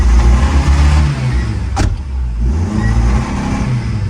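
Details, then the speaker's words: TATA CNG car with A34 ECU, customer reports shaking and no acceleration: engine stumbles, revs surge unevenly, it won't pick up and stalls. Codes point to a shorted fan circuit, the O2 sensor and incomplete combustion. "[เพลง]เครื่องสะดุดนะรอบสวิงแล้วก็ดับมาเนี่ย[เพลง]เร่งไม่ขึ้นเร่งไม่ขึ้นไม่มีแรง"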